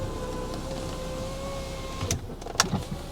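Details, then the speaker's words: 1988 Volvo 740 GLE with over 430,000 miles, bought at auction: electric window motor gives a steady, smooth whirr, then stops with a soft clunk at end of travel, working normally. "right Windows next [Music] yeah that's all working"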